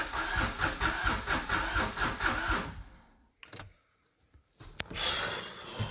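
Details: Subaru SVX after much diagnostic work: cranked but wouldn't start, only coughed on starting fluid; vacuum lines partly unsealed for this try. Starter cranks in an even rhythm for about three seconds, then stops without catching; crank no-start, owner suspects bad crank sensor.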